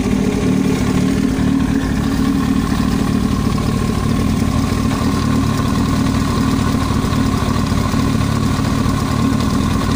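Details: Yamaha YZF-R1 at steady, even idle: a dry, rapid tapping over the exhaust beat, an abnormal knock in the cylinder head.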